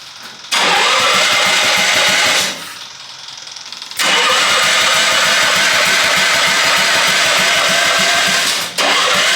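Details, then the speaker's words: Half-scale NASCAR Mini Cup car: two long bursts of starter cranking with one small pop but no start. The fuel pump's ball had fallen off and the pump wasn't heard running; carburetor cleaning is planned. "She's trying. Got one little pop off, but that's all."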